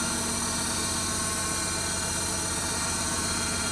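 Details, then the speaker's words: Loading shovel with hydraulically controlled cooling fan, found overheating: on start a steady hydraulic buzz and hiss over idle as the fan tries but fails to turn; engine warning for exhaust brake present; suspected failing fan motor or gearbox slipping. "But I can hear a hydraulic buzzing noise. Like that. That fan doesn't want to go around. It's trying to, look."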